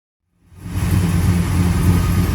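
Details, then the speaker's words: 1965 Plymouth Satellite V8 with new Edelbrock 1912 800 cfm carb, after plugging a hole at back of carb that caused a big vacuum leak: deep, steady warm-up idle, even low rumble, no hiss. "well there she is warming up sounding a whole lot better"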